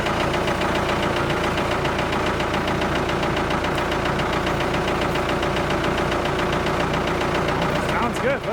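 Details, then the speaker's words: Abandoned Ford 655A backhoe diesel just started after sitting, idling in neutral: crisp, even clatter with no misses or hunting; sounds real good, healthy idle. "wow listen to that thing idle sounds real good"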